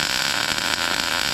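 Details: MIG welding a T-joint: steady, crisp bacon-fry crackle with no popping or sputtering; well-set arc laying a good bead.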